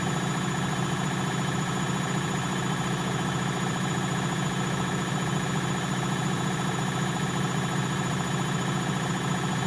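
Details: Bosch WFL246SGB/01 washing machine on an Easy Care 40° test wash, balancing toward spin: steady, even drum rumble with no grinding, knocking or bearing noise; healthy.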